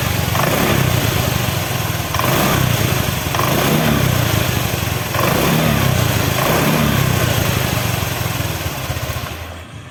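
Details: Honda Vario 125 old-model scooter engine after rebuild fixing a compression leak at the gasket that sprayed radiator water: even putter rising and falling in bursts then fading, no misfire or knocking; normal idle.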